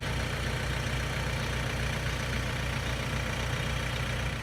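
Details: Vauxhall/Opel Astra K 2017-2018 diesel at idle after draining contaminated water from the fuel filter trap and self-bleeding the system: steady even clatter with no stumbles, hunting or misfires; the engine runs cleanly.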